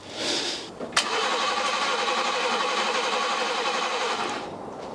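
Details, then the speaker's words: 1979 BMW E12 520 barn find, carbureted, running on its own fuel supply for the first time in 30 years: brief crank, catches at once and settles into a smooth, even idle. Normal start and idle. "so it runs and it runs off its own fuel supply"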